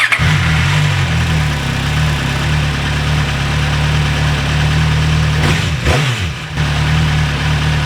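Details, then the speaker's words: MV Agusta 1090R after a fuel pump replacement fixed its bogging and random dying. It catches and settles to a steady, smooth idle hum with one brief dip and recovery midway, no stalling. Runs very smooth; normal idle. "The fuel pump managed to solve the issue. The bike runs very smooth."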